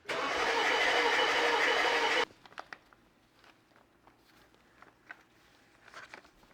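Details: BMW F11 with freshly rebuilt engine reinstalled, cranked without starting to build oil and fuel pressure (rail 150–200 bar) and check injectors for leaks: about two seconds of even, steady cranking, no catch; normal cranking.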